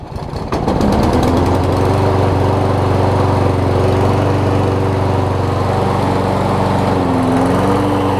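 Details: Toro Personal Pace self-propelled push mower after self-propel drive belt replacement: small single-cylinder engine starts and runs at a steady, even buzz with no knocks or misses, healthy.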